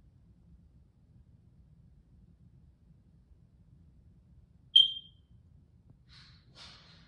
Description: Smoke Detector in my room just started BEEPING… It’s cause of low batteries but I cannot replace it now.